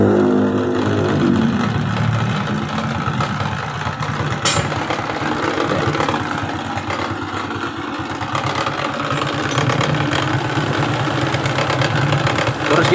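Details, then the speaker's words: Suzuki Shogun 125 with battery removed, weak charging: irregular stumbling single-cylinder idle; rough running because weak regulator/rectifier (kiprok) supplies too little voltage to the CDI; smooth with battery fitted. "akhir kita Lepas itu timbul suara kasar biar yang mesin dan saat kita pasang happy-nya suara itu halus bro apa aja masalahnya"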